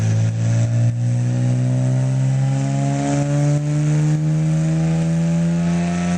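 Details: Nissan GT-R on a dyno, 2009: engine pulls steadily higher under load but the tone stumbles with brief dropouts as it climbs; misfire at high load.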